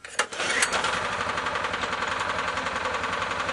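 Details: Oleo-Mac MH 197 RK motor cultivator, after cleaning a carbon-fouled spark plug and refitting the air filter (it had black smoke and hard starting): catches after a couple of pops and settles into a fast, even buzz with no misfire; normal running.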